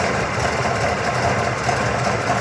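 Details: 1979 Cadillac Coupe DeVille V8, cold start at about 45°F after sitting two days: very lumpy, uneven idle with a faint knocking undertone that smooths out as it warms; only happens when cold; cause unknown.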